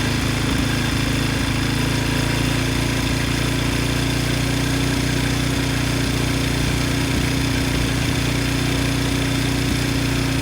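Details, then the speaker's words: Briggs & Stratton 10hp engine (model 204312-0171-B1) from a Husky generator, rebuilt after a blown connecting rod from no oil (new rod and piston, used crankshaft), idling outdoors in gusty wind: steady single-cylinder chug, no knock or rattle; healthy. "But the good news is the engine started right up and it sounds good. So it is ready to be put back on the machine."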